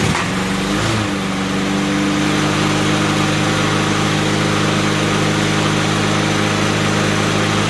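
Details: Craftsman push mower with Honda GCV160 engine, previously ran only on choke, started on choke after repair: catches within a second, then a steady, even single-cylinder drone with no misses or knocks; normal running.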